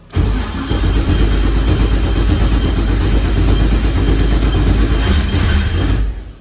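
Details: LS-swapped turbo SN95 Mustang with Holley EFI, started after installing an Aeromotive 5.0 fuel pump and fixing a loose ground: it catches straight away and settles into a loud, steady lopey idle with a brief blip, running cleanly; normal start and idle.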